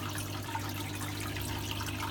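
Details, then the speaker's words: Red Sea Max S 500 reef tank sump with no filter socks fitted, under the hum of the CJ pump and fan. Steady rushing, splashing water with a low hum underneath: the open inflow is noisier without socks. "inflow because there aren't any filter socks in there so it does get noisier"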